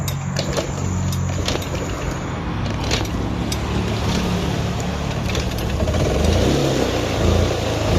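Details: Honda Click 110i scooter, hard starting: cranks and sputters unevenly, only catching with some throttle; compression about 49, under 50; both valves leaking with damaged valve faces, engine also somewhat worn.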